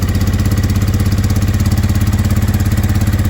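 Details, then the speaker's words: Honda Deauville NT650V5 just started after long cranking, new carburettor head rubbers, choke still on: quick, even thumping at a high idle; fast idle, carbs and timing need adjusting. "Now it's got new carburetor head thing. Still got quite a lot of choke, idling very fast."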